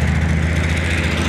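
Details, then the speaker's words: Corvair-powered buggy with an Edelbrock fuel pump behind a dummy mechanical pump: a loud, steady idle with an even low beat from the air-cooled six. No popping or misses and no smoke once warm. Normal idle. "starts up fine once it warms up there's no smoking there's no popping on either side it's got plenty of power"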